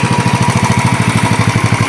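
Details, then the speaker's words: 2010 Royal Enfield Bullet Electra, previously unused two years, after many problems fixed: even single-cylinder thump around a dozen pulses a second, steady, no longer stalling when handlebar is turned; normal idle. "ഇപ്പോൾ നമ്മുടെ ഈ വാഹനത്തിൻ്റെ problems ഒക്കെ കുറേ solve ആയിട്ടുണ്ട്. ഇപ്പോൾ handle ഇരിക്കുമ്പോൾ ഒന്നും ഓഫായി പോകുന്നില്ല."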